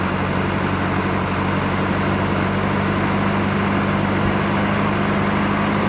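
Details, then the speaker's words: 1989 Volvo 740 GL saloon parked in a field for at least 3 years and run with no coolant. It started straight away and idles smoothly with a steady low hum and no knocks or misses, which is a normal idle. "and it started straight up like it's in use every day"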